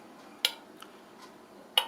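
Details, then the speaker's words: Vetrok-2 (ESOF-0.6/220) electric food dryer with mode settings of 40, 60 and 70°C: two sharp dry clicks about 1.5 s apart as the heater mode switch cycles normally, with the fan running. "Вот, когда уже включите - настраиваете, на какой режим сушки вы хотите включить. Вот он даже щелкает, то"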